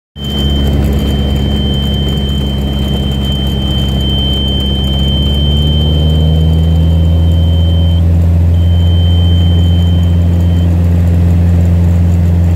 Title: M20F stalls to horn